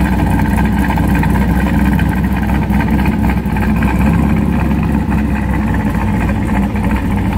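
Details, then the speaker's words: C5 Corvette V8 idling with the H-pipe midpipe still fitted, before the Bassani X-pipe swap: a loud, deep, choppy idle with an uneven farty flutter in the exhaust that never smooths out; the owner also notes a cam-overlap smell. "we're hoping to try and get rid of that kind of Sluttery noise that it makes in this particular exhaust don't really care for that"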